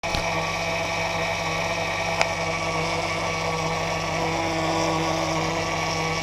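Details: 2004 Jeep Grand Cherokee with newly installed engine, idling: constant high whine over smooth idle holding pitch, from worn power steering pump, replaced with rebuilt unit.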